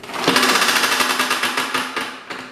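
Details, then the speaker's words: Toro self-propelled push mower with blown-up engine, pulled over by the cord: fast even clatter with no compression puffs; no compression and rod knock, blown rod, engine toast. "Damn, no compression. Sounds like it's got rod knock. So yeah, that motor's toast."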